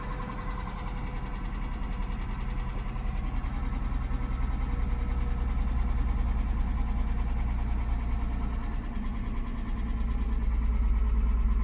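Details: 2004 Acura RL auction car, 158 miles shown, half tank of gas, started with jump pack; light quick ticking about two or three per second over low idle, oil being topped up; engine ticking at idle, cause unconfirmed.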